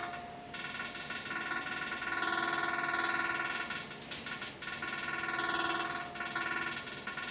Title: Noisy Aircon - Tibet Hotel Zhuhai